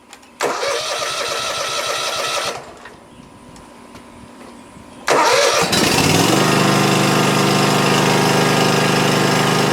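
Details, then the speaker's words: Cub Cadet ZT1 Ultima zero-turn mower after replacing a shorted key switch that cut power when it started: engine cranks, catches and settles into steady even idle, stays running with lights on; normal start and idle. "it starts and stays running. And you'll see that the lights actually stay on while it's running."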